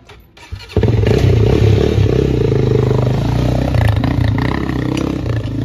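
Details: Honda 400EX ATV, bone-cold start with choke after carburetor cleaning for plugged jets causing bogging under load; engine catches into strong, even low single-cylinder thump with no misses or stumbling; normal running.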